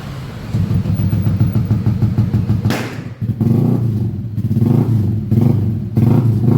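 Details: Yamaha Aerox 155 scooter after a total electrical failure, fixed by reconnecting a disconnected cable in the ignition circuit and charging the battery; starts and revs cleanly with no misses, normal running.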